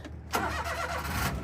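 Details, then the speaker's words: JDM car that had flooded after being run low on gas, with its battery since charged by the shop: brief crank, then it catches straight away and settles into an even idle. Clean, normal start. "nice right up started right up"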